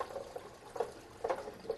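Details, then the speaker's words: SaniServ 500 Series twist ice cream machine, about 1.5 gallons of sanitizer poured in after assembly: soft gurgling bubbles every half second in a quiet room, showing all seals are seated; no leak. "And I'm going to stop and listen for the bubbling. That means all the seals are in place. If you hear that bubbling,"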